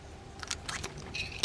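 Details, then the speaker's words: Mitchell 408 high-speed spinning reel, in for a tune-up, cranked by hand: a few sharp, irregular light ticks that shouldn't be there. Wrapped line was suspected first; the likely cause is a stuck bail trip lever striking the post. "these are highspeed wheels that's something clicking and that it shouldn't be"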